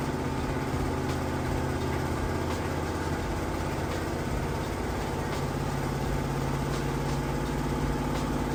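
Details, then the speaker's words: Samsung VRT HE washer on a heavy-duty hot cycle with a heavy load, spinning toward peak speed near the 2-minute mark: a steady drum hum with a soft, even rhythmic thump a few times a second, unlabored. Normal spin cycle. "This thing's actually still gonna get going even faster once it gets down to the 2-minute mark."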